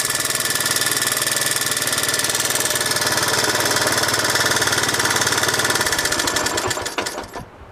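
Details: 1986 Honda Z50J Monkey, after rebuild with exhaust and carburetor repair: crisp even single-cylinder putter at steady idle, then clean shutdown; running properly.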